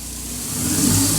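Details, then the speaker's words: K24A2 swapped EK Civic hatchback first start after sitting about three years: fuel pump heard priming, then engine settles to a smooth, even note as revs rise slightly, no misses, knocks or ticking; running cleanly. "Oh! Gosh, she wants to go. Fuel pump. Ooh! Listen, she auto smooth."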